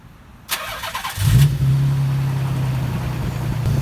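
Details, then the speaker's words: Nissan 300ZX Z32 just after oil and filter change: short crank, catches and settles into smooth steady low idle with no ticking, indicating a decent amount of oil. "Now you can hear that it's not ticking or anything, which means it does have a decent amount of oil in it, so that's good."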